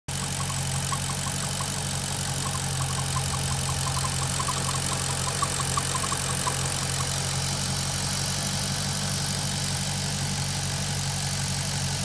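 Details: Maserati GranTurismo at warm idle (operating temperature) with a faint fast ticking; the noise is absent when the engine is cold or when the oil dipstick is pulled. The source is unknown.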